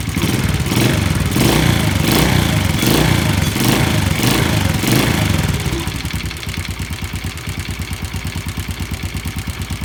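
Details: Yamaha Jupiter Z small motorcycle engine idling with a loud, regular knock clattering through it, caused by a worn, loose connecting rod; fix is replacing the rod, with original crankshaft bearings.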